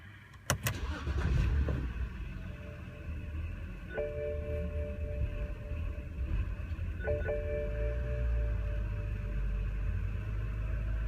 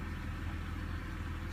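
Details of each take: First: BMW petrol engine (E90/E39 3 or 5 Series) settling into an uneven, lumpy idle; cylinder 4 misfire and throttle codes: rough unstable idle with hunting RPM. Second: BMW 5/3 Series with earlier cylinder 4 misfire and throttle codes, after cleaning the throttle body (VANOS sensors also replaced): steady, even low idle with no surging or stumbling; the earlier idle and stalling problem is solved.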